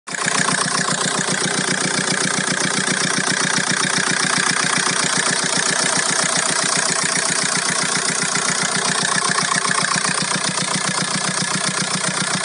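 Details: VW Golf 4 1.9 TDI 115 4Motion diesel idling with a steady rapid ticking about two and a half times a second over a sharp clatter; the source of the odd engine noise is unclear.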